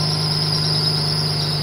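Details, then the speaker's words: 1996 Jaguar XJ6, about 160,000 miles, not run for three weeks, just after cold start: high-pitched squeal over even idle from a slipping fan belt; owner plans to tighten it. "so if I see if it'll start our pressures come straight up we can hear it squealing fan belt"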